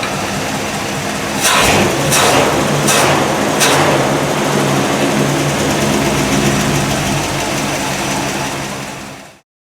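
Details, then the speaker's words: 1955 Buick Century, first start after carburetor rebuild, plugs and plug wires not yet changed, electric fuel pump: steady idle after a few sharp bursts, sitting at about 580–600 rpm and won't set lower; high idle speed. "I haven't been able to get the idle way low I'm still running about 580 to 600 that's about it for now"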